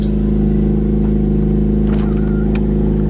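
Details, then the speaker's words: Car at idle with exhaust leak: loud deep raspy rumble far beyond stock, steady; sounds like exhaust disconnected near the headers, to be fixed. "so for now let's just go ahead and show you guys the exhaust leak this has yeah we're gonna have to be getting fixed today"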